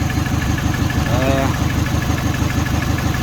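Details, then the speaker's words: Mini Cooper after cylinder heads refitted, running at idle: uneven, lumpy idle with a vibrating stumble in the exhaust pulses about three times a second; one cylinder is misfiring, cause not yet found. "as you can see that's not running right i think it's vibrating so i'm just running this gun on it while it's running say what's going on you can feel it gosh not happy it's like it's missing it's firing"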